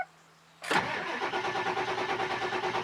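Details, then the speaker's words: Ford 7.3 Power Stroke diesel truck, disabled so it cranks without starting, on healthy fully charged batteries and a good starter: brisk, even cranking at about three compressions a second with no sag or drag, showing normal fast cranking. "so what does the engine sound like when it's got a good healthy set of batteries that are fully charged and a good starter i've got this truck disabled so it won't start so that i can crank it for a long time you can hear how fast it turns over"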